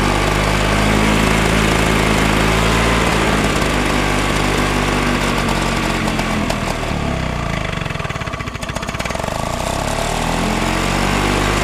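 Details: Flymo L47 two-stroke lawnmower (25:1 fuel mix), bought as a non-runner, running after the tank and springs were refitted: loud buzz that surges and dips instead of holding an even beat; rough, unsteady running, cause not confirmed.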